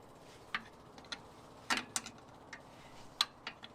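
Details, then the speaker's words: John Deere 310 backhoe fuel system being bled with a 12-volt electric fuel pump: faint, uneven ticks every second or two as it primes, with air heard in the line while the lines are cracked open. "go ahead nothing yet that thing running yeah oh there it is i can hear an air in it"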